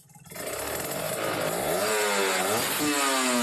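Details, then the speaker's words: Kawasaki Ninja RR two-stroke, Mikuni 28 carburetor, air screw three to three and a half turns open: revs rise and sag with a thin, raspy crackle at low rpm, too lean; about 2.5 turns is correct. "kekeringan ya teman-teman ini tiga putaran itu kering banget apalagi tiga setengah"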